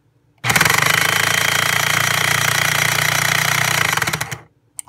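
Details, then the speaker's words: Breville Smart Grinder Pro, damaged after a rock went through it; harsh, rattling, chattering grinding with a rough beat, as it has sounded since the rock: abnormal grinding noise. "okay let's try putting some beans in okay still doesn't sound good which is how it's sounded ever since we initially got the rock in there"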